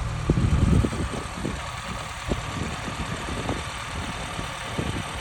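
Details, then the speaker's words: 1987 Austin Mini Advantage 998cc, 47,163 miles, all original, warm after a road drive; soft, even low idle with no knocks or misses, purring smoothly, normal idle. "I've just taken it down the road. Absolutely perfect, up to temperature. And listen to it purring away."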